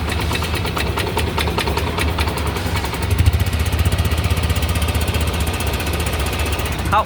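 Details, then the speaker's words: Yamaha Nmax scooter at 79,000 km after rebuilding top and bottom end with a 60 oversize piston: quiet even idle, steady low putter, no knocks or rattles, no engine light, revs normally. Normal idle. "หมดนะเครื่องจะดับเนี่ยก็ประมาณนี้เครื่องเงียบๆเร่งได้ปกติไม่มีไฟเครื่อง[เพลง]โชว์"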